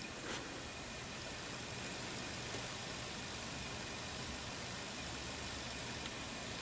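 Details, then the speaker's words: Dell Inspiron 530 Core 2 Duo after replacing the worn-bearing CPU fan with a Coolink SWiF2-80P. A soft, steady airy hush with no whirr or rattle; the CPU fan is quiet. Only the case fan's faint whirr remains. "I'm pretty impressed with that actually the only the only wearing you can hear now is the case fan that's all I can hear"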